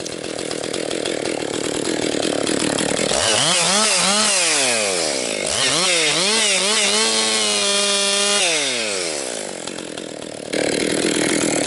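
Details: Rebuilt Husqvarna 262XP two-stroke chainsaw breaking in, compression up, bucking dry, partly rotten pine: howl sweeps up and down as saw digs in and frees up, crisp, no bogging; strong, healthy cutting.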